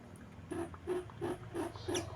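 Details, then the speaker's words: Truntung ST20 side oil pump hose check valve tested by mouth: blowing passes no air, sucking gives short reedy squeaks about three a second, like a harmonica; valve still good. "Harmonika itu ketika dia rapet, maka akan bunyi seperti trompet, duet duet duet duet duet, seperti itulah, teman-teman sudah tahu. Ini pun sama, ketika valve-nya itu masih bagus, maka ketika kita sedot akan menghasilkan suara."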